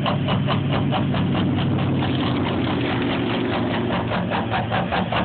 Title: Duramax rough idle